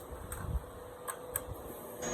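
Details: Hemi swap harness (G3 Cuda swap, owner had a no-run condition) on the bench, key on to accessory, fuel pump and ignition: a few light clicks then a soft hum, the ECU handshake and relays powering up normally.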